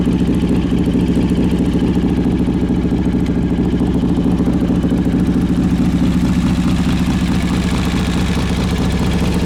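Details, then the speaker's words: 2003 Harley-Davidson Road King, carbureted, choke pulled, gear-driven cams, timing cover inspected: steady lumpy V-twin idle about two beats a second with faint whine from gear drive; normal. "so I don't know if you caught it or not but that little wine you hear that is the Gear Drive"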